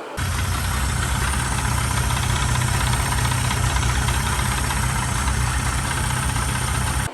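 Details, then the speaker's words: Mercury 30 outboard brought for service over foreign engine noises: uneven knocking about three to four per second over running powerhead; mechanical knock, cause unfound before teardown, block later bored and rebuilt. "Человек привёз на техническое обслуживание и разобраться с посторонними шумами из двигателя."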